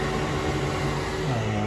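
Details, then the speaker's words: 3D printer enclosure ventilation fan with filter, hose venting out the back window, run from max to min power settings. Steady, even whoosh of airflow with a low hum that shifts slightly as speed changes. Running normally. "And if I turn on the vent, it has different power settings. Max all the way to min. You can hear that fan. You can feel it pulling the air."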